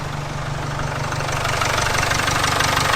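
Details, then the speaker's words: Jaguar XF at idle after the unbolted, hissing EGR pipe was refitted with its two 10mm bolts: steady, even idle about three beats a second, no hiss or leak; engine running properly, not yet up to temperature. "Yeah, that definitely sounds a lot better now that EGR pipe is bolted on."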